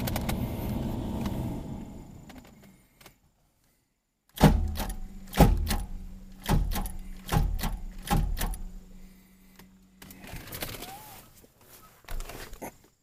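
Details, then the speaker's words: Car cranked on a JF.Egwo 3000A jump starter: slow labored cranking under three seconds, then stops dead and goes silent followed by clunks; engine lock-up suspected. "Not a whole lot. Ooh, that's not good. That actually feels like the engine locked up."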